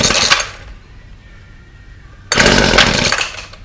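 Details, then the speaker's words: Weed Eater FeatherLite Plus FL26 trimmer on fresh 40:1 fuel, before repair, fuel lines already replaced: buzzing bursts of revs that sag and die; it runs only on half choke and always stalls; carburetor replacement planned. "Will not run unless it's on half choke, and then it always stalls."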